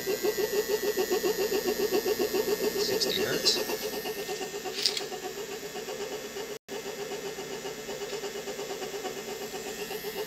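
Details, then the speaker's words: Three-phase motor powered from a car battery through an inverter and contactor at 15 Hz, about 0.6 A: steady mid hum with rough pulsing churn from a slightly noisy bearing, otherwise running fine; inverter fan audible. "kind of a noisy bearing but it's running just fine"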